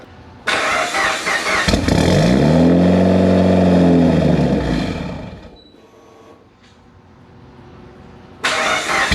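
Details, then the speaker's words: Built Mitsubishi Evo 8 with Kelford 272 cams, battery repeatedly dying and now on a charger: starter spins the engine steadily about four beats a second for three seconds, never fires; crank no-start, cause unconfirmed. "all right so I went ahead and since it's not starting I went ahead and just kind of unplugged the other resistor and put in the new resistor and we'll see what happens"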